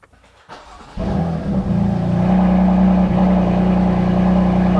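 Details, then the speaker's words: BMW M4 CS (S55 engine) starting and idling after owner replaced a squeaking belt pulley himself; feared the alternator, but it was a pulley. Engine fires and settles into a steady, even hum with no belt squeal or chirp. "right no more squeaking I was worried that it was going to be the alternator because the sound it sounded like it was coming directly from the alternator but I guess no it was just one of the pulleys"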